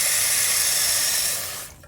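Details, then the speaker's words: Kohler toilet tank refilling after a flush, following replacement of the flush canister gasket to fix nonstop running: a steady hiss as it fills, then it cuts off cleanly with no trickle afterwards. The refill shuts off as it should. "there we go listen don't hear any water running everything looks nice and level"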